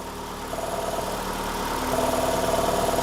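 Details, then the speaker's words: Ford Escape (P144A EVAP code), new purge valve installed, engine idling: quick even ticking about four times a second as PCM commands purge, valve drawing vacuum; normal operation. "I don't know if you guys can hear the clicking sound, but immediately upon plugging it in, the PCM is asking for it to be purging. So immediately we are in purge mode."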